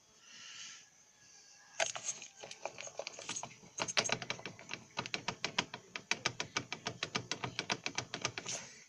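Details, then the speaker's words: Car front suspension making rapid dry crunching clicks about six a second as it moves; owner says something is knocking and crunching, cause unconfirmed. "пацаны из серии что-то стучить чего-то стучат счеты хрустит"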